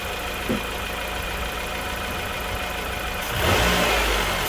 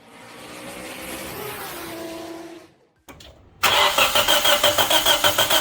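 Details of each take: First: 2004 Nissan Pulsar N16 QG18DE, 120,000 km, after head gasket replacement (old gasket burnt between cylinders 1 and 2, causing rough idle and misfire): even, steady running that picks up smoothly when revved, no misfire or stumble; normal revving. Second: 2004 Nissan Pulsar N16 QG18DE, 120,000 km, unopened engine, rough idle and shaking under load: it cranks, catches and settles into a lumpy pulsing idle, about three beats a second. Misfire from a head gasket burnt between cylinders 1 and 2.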